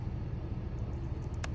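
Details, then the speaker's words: 2003 Chevrolet Silverado with code P0455 (large evap leak): purge valve bench-tested by jumping it to the battery gives several crisp clicks, meaning the valve works fine. "If I hear a clicking sound, that means this push valve is working fine. There's no issues with it."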